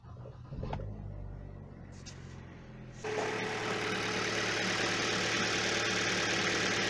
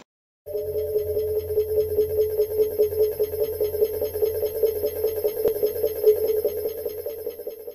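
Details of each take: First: Hyundai Solaris/Kia Rio 1.4/1.6 after replacing accessory drive belt, tensioner and idler pulley bearings: engine cranks, catches and settles into an even idle with no whistle; before, the worn tensioner pulley whistled on cold starts. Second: Hyundai Solaris/Kia Rio (1.4/1.6 with air conditioning, G4FC listed), nearly 160,000 km. A steady high whistle over the engine hum appears when accelerating around 1,500–2,000 rpm. Owner suspects a worn tensioner or idler pulley bearing; the accessory belt and pulleys are to be replaced.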